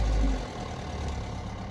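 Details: 2006 Toyota Corolla after valve body solenoid repair for gearbox code P0974 (shift solenoid A circuit): brief louder start, then low, even rumble, steady idle with no misses or knocks.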